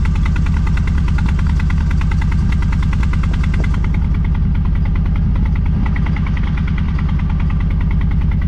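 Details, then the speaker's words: 454 big block V8 in a Honda Civic after a new clutch, about two minutes after start while warming up, oil pressure 55–60. Lopey, uneven idle with one side smoky; owner suspects old spark plugs, never changed and previously run backwards. "It's on this side. This side's a little smoky. You come over here to this side. This side's clean."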